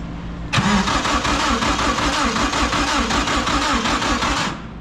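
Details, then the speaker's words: SHO'NUFF race car, PDM and FuelTech setup: it catches and runs with a loping, weak, uneven beat of about three pulses a second. Cylinders 1 and 3 are not firing, only 2 and 4; the plug wire was ruled out and a cam sensor error is present. Misfire on two cylinders. "we thought it was that plug wire well it wasn't i'm not firing on cylinder one and three two and four are the only ones that are firing right now"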